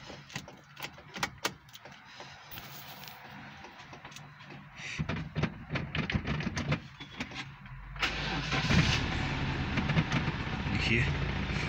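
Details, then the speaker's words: Ford Bantam CVH 1400 petrol engine started after ignition timing work, not run for a long time: clicks and handling noise, then it catches and settles into a steady, even idle with no misfire; starts right up. "it starts right up."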